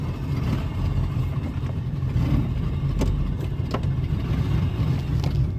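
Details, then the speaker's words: 2000 Ford F150 V8 with aftermarket intake, in park: low uneven chugging with irregular lumpy pulses after stalling at lights; rough idle, owner suspects intake-related cause, later found non-factory MAF setup part of the problem. "still chugging now I'm at Park it's [ __ ] chugging rough God [ __ ] damn it"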